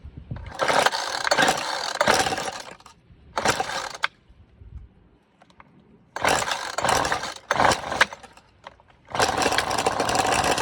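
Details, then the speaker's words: FeatherLight Plus FL26 two-stroke string trimmer with a newly replaced carburetor, several pull-cord bursts, then catches and buzzes briefly on full choke, showing the carburetor delivers fuel. "all right so being that it did run for a second you know the carburetor is good"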